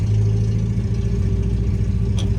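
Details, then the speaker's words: 1979 MGB on its first drive in decades: a low engine rumble that surges and sags unevenly, nearly stalling in an intersection; the engine struggles and the clutch balks on the shift out of second. Rough running, cause not found. "I know the engine is just angry right now, flopping around."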